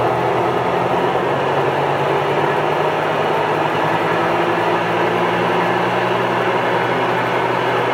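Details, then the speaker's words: Huebsch coin-operated laundromat washer in spin cycle after replacing a burnt belt: a loud, steady roaring drone with a harsh rushing edge that began with the new belt. Owner asks whether it is a bearing issue; cause unknown. "that's just crazy so if anybody can kind of helped me out is that a bearing issue"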